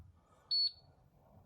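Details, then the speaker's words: Hotpoint Quadrio fridge freezer: single short high-pitched beep warning that the doors have been left open. "going to actually get the uh beep in now seeing that uh the doors have been open"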